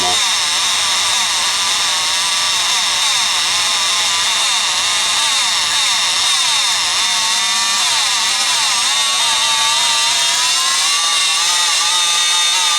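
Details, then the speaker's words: Rockwell Sonicrafter oscillating tool after replacing one cracked resistor and its two companion resistors: high buzzing whine whose pitch wanders up and down instead of holding. Speed control is still erratic; a further circuit fault is suspected but not yet found. "still moving pretty fast but uh I can't hold it I don't really know what it's supposed to act right but it yeah that's probably not normal"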